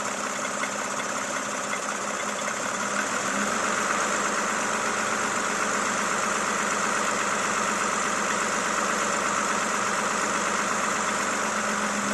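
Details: Toyota Camry XV70 3.5L V6, 30,000 km: steady idle with a sharp, evenly spaced knock nearly three times a second; knock at idle, source undetermined.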